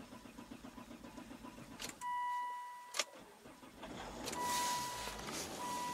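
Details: Car starting then dying repeatedly, anti-skid service required warning showing; engine catches and idles briefly, then cuts out with a chime and restarts; stalling after start, cause not pinned down.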